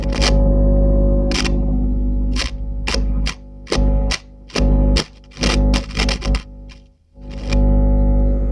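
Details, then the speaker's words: Hiwatt PA100 6-channel 100-watt tube PA amp: steady low hum and buzz with crackly bursts as channel 1 controls move; noisy channel, source unconfirmed. "Okay. Clearly something going on that channel. Channel 2. Same on that channel."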